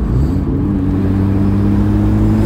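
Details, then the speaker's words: Nissan Skyline R32 GT-R after repair, cruising: deep steady exhaust drone with even low rumble, no rasp or rattle; normal exhaust note. "yeah it just doesn't get old when it works properly"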